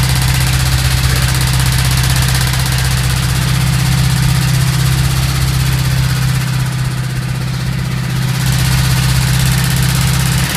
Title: Стук вкладышей гольф2 1.3